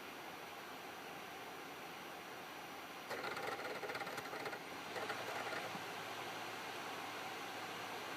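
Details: Xbox 360 Slim disc drive during eject, happens every time: over quiet hiss, two short bursts of rattling, grinding mechanical noise; owner unsure if normal.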